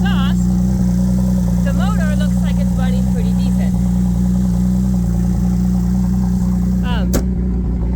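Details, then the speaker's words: 2017 Chevy Traverse, 3.6 V6 by the seller's belief, at idle: steady, deep, loud and boomy drone with no knock or tick on top. The seller notes a louder exhaust, a knock sensor circuit code, and slight RPM flutter. "It does have a louder exhaust, so you'll hear that."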